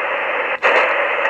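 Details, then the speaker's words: ATS-25 receiver after firmware update, tuning through a band on SSB: even static hiss with only one brief dropout and little chuffing; muting chuff much reduced, normal SSB tuning. "the major change is the muting the chuffing when you're tuning on ssb is is quite a bit reduced so let's just have a listen to that move the radio so as we tune through the band"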